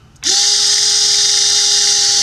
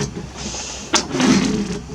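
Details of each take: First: 1982 Triumph TR7 V8 4.6 L convertible washer pump, cleaned and bench-wired to positive and negative: smooth, steady electric hum spinning up quickly and winding down after about three seconds; washer pump running normally after repair. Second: 1982 Triumph TR7 V8 4.6-litre convertible wipers: motor whirs through a slow sweep with a sharp knock at end of travel; blade catching and overrunning the screen edge, wrong blade lengths fitted, needs adjustment.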